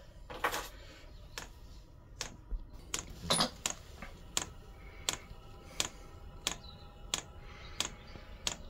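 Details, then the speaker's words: Chinese diesel heater fuel pump ticking normally with sharp, evenly spaced clicks about every two-thirds of a second while the glow plug warms up, heater run from a transformer with battery backup after fixing the pump. "I've got it running on a transformer and I've got a battery to it in case the power goes off. So you can hear it ticking away."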